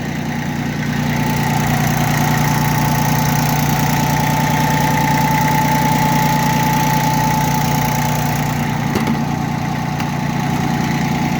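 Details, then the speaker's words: Yanmar FB15D Japanese four-wheel-drive mini tractor, three-cylinder diesel: steady, even idle chug with a constant beat, no knocks or misses; runs smoothly and properly, normal idle. "Как вы могли слышать, двигатель работает ровно и исправно."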